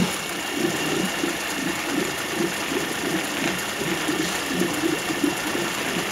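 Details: 2006 Suzuki DF50 three-cylinder outboard with 297 hours, warming up after a possibly cold start: fast, even ticking purr with steady beat and no stumbles; normal, healthy idle.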